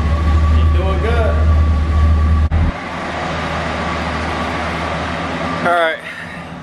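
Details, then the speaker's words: Chevy 305 5.0L V8 with dual exhaust, run outside after new plugs and wires tune-up: strong even burble under a throttle blip, then smooth steady run with no misfire or stumble; sounds good. "oh yeah oh she sounds good feeling good"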